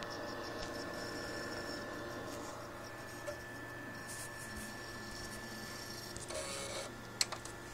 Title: Xbox 360 makes weird noise and wont read discs